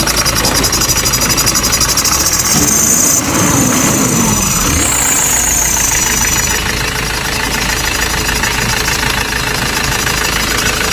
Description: this squeaking sound problem is came from between the engine belt and the pulley or tensioner.